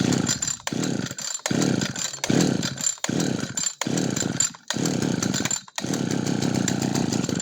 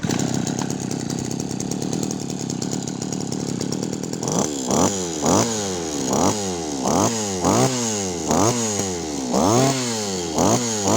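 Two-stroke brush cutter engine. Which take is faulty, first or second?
first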